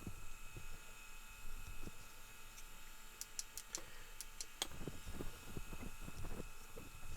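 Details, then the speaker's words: Denon DRM-650S cassette deck during playback: quiet running with scattered sharp clicks and a faint squeak over the motor hum; owner unsure whether belts or lack of lubrication after long disuse is the cause. "That belt is doing its job. So, I don't know if it was You hear that? The squeaking and the clicking. I don't know if it is actually a belt issue or whether it's just because it hasn't been used for ages. It's making all these like horrible noises."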